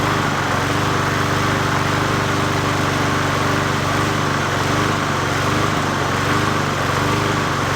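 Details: 20-inch Murray push mower #20201D, after straightening a wobbling crankshaft and cleaning: the small engine holds a fairly steady speed with slight unevenness and no knocking. Owner suspects it may be low on gas.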